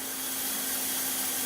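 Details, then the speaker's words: Lakhovsky multiwave oscillator at 100% intensity with the spark gap at minimum: a steady mid-pitched buzz with a hissing crackle on top. The spark gap is firing normally. "we can hear the spark gap buzzing about. We're up to 100% here, and the spark gap is at minimum."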